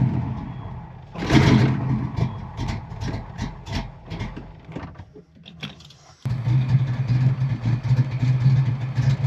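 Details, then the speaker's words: Ford Mustang Foxbody cam motor, original MAF possibly uncalibrated for its 24-pound injectors: cranks, catches briefly with ragged surges, dies, restarts into rough uneven idle; owner suspects base idle reset needed. "Fuel pump works. All right. So it almost wants to run."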